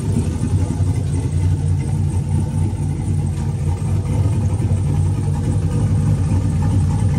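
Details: Turbo 4.8 V8 Blazer with Elgin 1838P sloppy stage 1 cam (Trick Flow 216/220), sat since March 2022, warming at about 130 degrees: idle settling down, deep noticeable lope but no distinct chop; idle AFR hunting 15.2–15.3 in cold weather. Normal cam idle.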